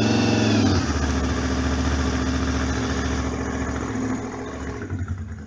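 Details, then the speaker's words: Honda VFR 750 RC24 V4, late-1980s, right after cold start (sat overnight) on manual choke: fast high idle easing down smoothly and evenly over a few seconds; runs very correctly. "Donc elle tourne très très correctement, hein, parce que là elle est avec le starter. On entend qu'elle tourne bien bien haut."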